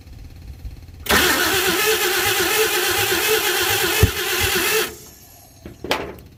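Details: 1952 Chevy engine cranking about four seconds without catching, after fuel was poured in and the fuel pump refitted; owner doubts the fuel pump delivers fuel, and the carburetor float may be stuck shut.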